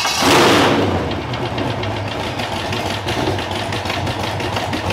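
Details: Demolition derby car's LS engine: catches then settles into a fast, steady ticking knock over rough idle; internal knock, possibly heard last year too, feared catastrophic; engine may be pulled.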